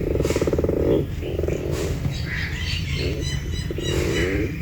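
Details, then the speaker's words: Driver's door of a Kia Sportage gives raspy, croaking creaks in short bursts when opened, dry hinges and door checks rubbing; squeaky door hinge, fixed with white lithium grease spray. "the driver's door on my kios Portage started making this quaking noise when I open the"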